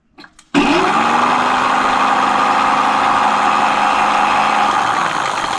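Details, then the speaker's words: Mate X 20x4 fat-tyre e-bike hub motor on throttle with brake removed, GoPro held in hand: steady motor whine with rough grinding hiss; owner suspects worn or damaged gears, unconfirmed. "Right, so I'm going to take it apart because I'm thinking it could be the gears."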